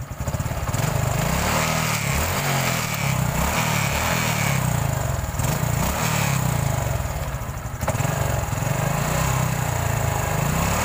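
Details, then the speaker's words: Honda Supra X 125 injection after the cam chain tensioner repair: revs up and drops back cleanly through several blips with no rattle. The loud chattering is gone and the engine is smooth. "ya tadi kalau kita Andini suaranya ngericiknya keras sekali dan sudah halus"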